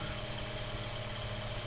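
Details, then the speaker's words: Mainstays 9-inch high-velocity fan after cleaning, oiling and blade balancing, tested on high in below-30°F cold: smooth, even hum with steady low drone and airy rush, no rattle or wobble; running clean. "It's definitely moving a lot. And that's on high speeds. So that's really, really good."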